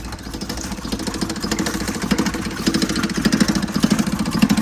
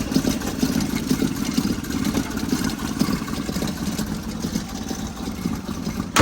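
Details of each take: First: 1977 Toyota motorhome started after sitting for months and possibly flooded. Uneven idle with a loose metallic rattle on each beat, about 100 per minute, from the air cleaner, which is loose because its mounting bolt is missing. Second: 1977 Toyota motorhome engine revived after sitting for months. Warm idle is an even, steady low rumble with no misses or knocks, then a couple of sharp bangs from handling. Normal idle.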